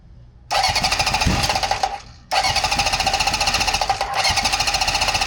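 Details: 1974 Honda CB750 with new wiring harness, rebuilt carbs, new plugs and coils, on its first start attempt before carb adjustment: it catches, runs ragged, dies within two seconds, then refires into an uneven idle. Hard starting and rough idle from maladjusted carburetors.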